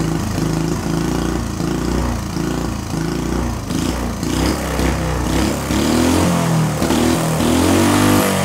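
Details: Small see-through single-cylinder turbo engine on newly adapted Amp-EFI and pump gasoline, lightly tuned: thumps evenly and picks up cleanly on throttle blips with no misses or knocks; runs better than on carburetor.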